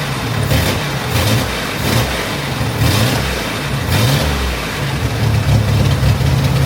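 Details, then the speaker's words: Chevrolet Corvair flat-six after major tune-up with new ignition system and carburetors, fuel lines reconnected, first start to check for fuel leaks: smooth even idle with clean rev blips rising and settling, no misses or knocks; normal idle and revving. "Everything is in place for the engine to run again, so let's start it up and check for fuel leaks."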